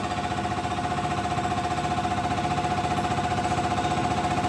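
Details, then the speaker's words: Injector on a test stand at max power: fast, even ticking pulses at level loudness, no skips; fires cleanly. "This is a pretty good running injector right here under max power. See, it's staying pretty level."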